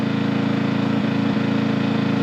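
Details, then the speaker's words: New Harbor Freight Predator 2000 W (1600 running watt) generator in eco mode at low throttle, powering a 40 W load without throttling up; smooth, even low hum with no misses or surging; running healthy under light load. "I think that kicks the throttle down. Oh yeah. Listen to that. Way quieter. that throttles the uh motor down till there's a demand on it."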